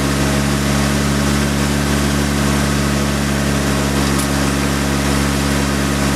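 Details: Nissan S15 SR20DET after engine oil flush and oil change: steady, even idle with a smooth low hum, no knocks or ticks; sounds healthier.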